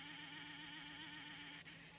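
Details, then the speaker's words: 1954 Westclox Orb clock with a harsh, steady, high-edged buzz from its synchronous rotor instead of a smooth hum. It is intermittent, sometimes going quiet, and is amplified by the case; the cause is unknown and the rotor appears sealed. "So I have no clue what's wrong with this thing. It's such a bizarre issue, and my clock was making such a racket because this sound was being amplified by that case."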